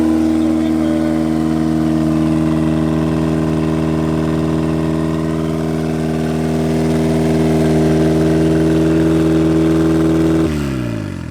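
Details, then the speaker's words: 1991 Mazda Miata NA turbo build on its first start with an untuned base map: fast, steady idle at about 2,200 rpm with an even beat, then shutdown. Idle too high, needs tuning down to about 1,200 rpm. "That's too high of an idle. That was like 2,200. Yeah. Gotta obviously adjust Tone that down just a bit."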